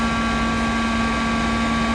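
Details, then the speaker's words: Mosquito Magnet trap being tested after the igniter check, power on and propane slowly opened: solenoid clicks faintly, then propane pumps out; steady even fan hum with a couple of fixed tones, no roughness, running normally. "That was that just happened then, the click, and then it's pumping propane out, which I'm going to stop now."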